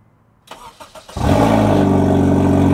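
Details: Honda Fit (GE) with swapped K24 engine, clutch mod, wiring fixes and dealer reflash, first start: a few short cranking bursts, then it catches cleanly into a loud, steady idle; starts normally.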